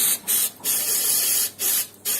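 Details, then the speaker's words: Natural-gas combi boiler heating radiator being bled: a sharp, high hiss in uneven spurts as trapped air escapes the bleed valve, until water flows steadily. "Evet görüyorsunuz içindeki havalar B böyle ses geliyorsa bilin ki içindeki hava dışarı çıkıyor"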